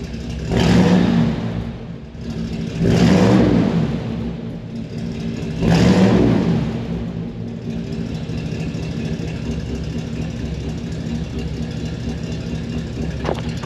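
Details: 1964 Chevrolet Impala SS 409 V8 just started: three clean throttle blips rise and fall smoothly, settling to an even steady idle with no tapping or knocks; sounds healthy, normal revving.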